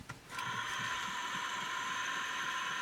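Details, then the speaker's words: 1969-era Olympus Zuiko Pearlcorder microcassette recorder powered up with a tape in and the capstan turning: thin steady motor whine with irregular clunking and scraping. Owner suspects the small drive motor is worn; cause unconfirmed. "Something's clunking. I don't know if that little motor's so good anymore. Something's really scraping."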